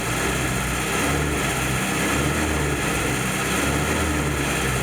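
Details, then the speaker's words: 1952 Jeep M38A1, cold start after choke removed: petrol engine revving up steadily and evenly, no popping, spitting or surging; acceleration smooth, though it surges at low idle, carburetor issue suspected. "Uh, the acceleration is even and smooth."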